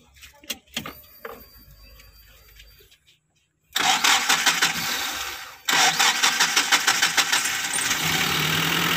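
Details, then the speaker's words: Futura injection van with check engine light, hard starting, stumbling above 2000 rpm, after swapping plugs and coil: cranks, catches, dies, restarts and idles with an uneven stumble about three per second; misfire persists, injectors suspected. "oke untuk kendala masih sama seperti tadi ya kita lanjut untuk pengecekan di bagian yang lainnya"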